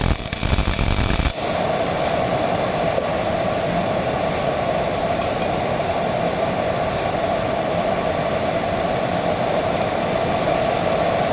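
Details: Miller-Matic 251 MIG welder at 21 volts, 366 wire speed, welding pipe fittings: constant even frying crackle with steady buzz, no pops or breaks; normal smooth arc.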